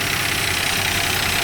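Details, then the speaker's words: 1961 Plymouth Belvedere six, parked since 2002, first start to move it from the barn, temperature reasonable and brakes sticky: idle with hissy top end and uneven beat underneath; a miss suspected, cause not confirmed. "sounds like we got a miss but uh should get us around the yard"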